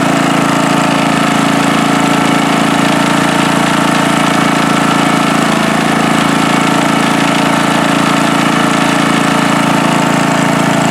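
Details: Free riding mower on a first start test after its gas tank was drained and fuel was added by hand amid flooding: an even, steady single-cylinder beat of about four firings a second with no stumbles or surging, running cleanly.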